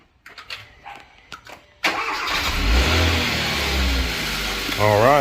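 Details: Hyundai Sonata with a dead battery (10 V), jump-started from a jump box: quiet clicks, then a brisk crank that catches at once and settles into a steady idle with a quick blip; starts normally.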